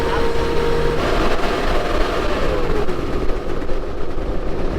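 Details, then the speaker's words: Turbo diesel Humvee that had broken down, driving in high range after repair: heavy steady roar, a loud rushing whoosh swamping the quieter engine as the fan kicks on and off, loud fan clutch roar. "Yeah, the fan clutch is exciting. Yeah, the engine's quieter, but the fan is loud."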